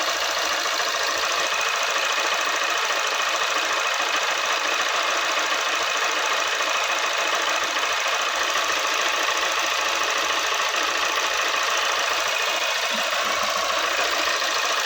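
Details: Honda Unicorn 160 motorcycle, recurring problem: fast, light ticking over a busy, hissy engine note at a steady pace. Tappet noise from valve clearance.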